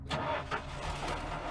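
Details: Lincoln Continental barn-find classic after long sitting, previously unfixed fuel issue, started by hooking up unhooked wires and pouring gas down the carb; catches immediately after short crank and settles into even, steady run: normal start.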